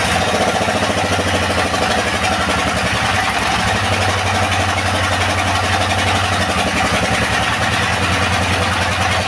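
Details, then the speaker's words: Used S1115 single-cylinder diesel that would not start, after servicing: steady, even thump at constant speed with no knocks or misses, oil indicator rising well; the engine now runs clean and is fit for use. "Oke sobat diesel setelah kita coba hidupkan dan kita dengar tadi hasilnya sepertinya tidak ada kendala lagi ya pada mesin diesel ini dan mesin dieselnya ini Sudah layak untuk digunakan"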